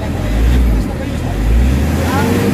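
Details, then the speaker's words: Nissan NV350 Urban Premium diesel van, treated with XADO for low power and throttle delay; low, steady drone swelling and easing with throttle, even, no roughness. Engine now quiet, power sound from the combustion chamber rather than hissing at the intake as before. "kita nyo yung under ng makina, tahimik na talaga yung ano, yung engine. Medyo pulido na yung under, talagang yung galit niya."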